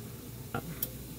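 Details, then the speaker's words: Walk-in cooler freezing product, Heatcraft Intelligen controller, in test mode: two sharp clicks over low hum and faint refrigerant hiss; EXV actuator faulty, hunting instead of closing; fixed by replacing actuator. "pan on it's a neat control i really like it you could hear that freaking valve doing its jiggity jiggity in liquid solenoid relay on"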